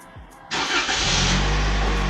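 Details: 2023 Toyota Camry started via newly installed remote start, button held until it clicks: a click, then the engine fires promptly and holds a steady, even idle without stumbling; normal start.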